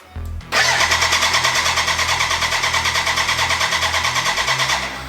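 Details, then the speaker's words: BMW K100 cafe racer first start attempt after new fuel pump, fuel confirmed, choke on: steady rapid starter whirr about three beats a second, no combustion at all, cranks but never fires; a big leak found afterwards. "when i hit the start button to the beginning it sounds like or something like it it would start but then as you heard uh no no sound of like like combustion at all and i have a big leak"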